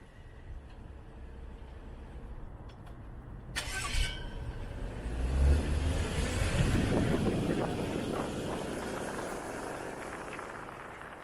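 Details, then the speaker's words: BMW N55 engine on a test drive after replacing both front and rear crankshaft seals, which had leaked crankcase pressure and caused a whistle or squeal when warm (SI B11 03 11). Now an even low rumble with no whistle or squeal. "I would say that's fixed"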